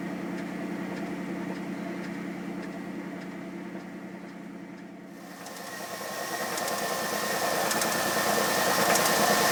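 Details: 1997 Camaro with 3800 engine, a bad motor; faint regular tapping about three times a second that grows as revs climb; engine knock, source not pinned down.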